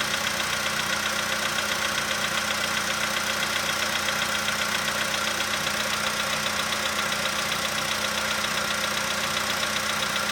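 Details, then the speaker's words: 2015 VW Polo sedan, cold start, engine +5°C, outside −2.5°C: light even ticking about 90 per minute over idle, fading as it warms to 45°C in about 5 minutes; suspected hydraulic lifter. "Ну все, уже практически не слышно, да? Ну нет, что-то есть еще. Но оно все меньше такое. Это холодный клапан."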